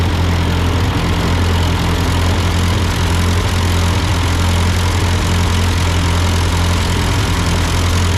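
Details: Ford 8N tractor at idle with no load, just after a carburetor adjustment. It had sputtered uphill, blamed on a cheap Chinese carb; an old Marvel-Schebler ran fine. Steady low putter, even firing, no misses or knocking: normal idle.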